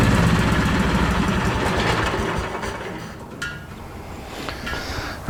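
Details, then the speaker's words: Miller Trailblazer 250 welder generator after valve job and carburetor refit. Engine runs smooth and steady at a constant 3900 rpm (thought to be about 3600) and won't go to idle when switched. Possibly an electrical issue, suspected only: high idle speed. "it's still not idling that may be an electrical issue but it's running at 3900 RPMs all the time and that's too fast"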